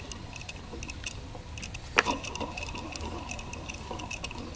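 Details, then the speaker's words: Junkyard replacement A/C compressor for a 1990 Jeep Cherokee, over 20 years old, with the engine off; its clutch pulley, turned slowly, gives light, uneven ticking and faint grit from a worn bearing that needs replacing. "so there is a bearing in there needs to be replaced so this assembly has to be taken taken apart and off to get to those shims"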